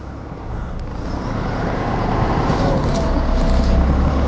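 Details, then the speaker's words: Car driven with one front tyre fully deflated (normally 30–40 psi), front end sagging: low rumble swelling as the car rolls with steady thumping about four times a second; flat tyre rubbing, car strains to move. "Tyre रगड़ रहा है। यही है ना अरे यार, गाड़ी ही एक तरफ झुक गई है।"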